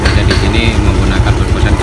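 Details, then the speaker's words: Yamaha Mio Soul scooter with a starter problem: rough, intermittent starter engagement. Owner suspected the one-way starter clutch with worn rollers. After the fix it starts on one press and settles into a steady, even putter with no knocks or grinding. Normal running. "Sekarang menjadi halus, kita tes lagi sekali lagi. Putar, jadi sekali pencet udah langsung nyala."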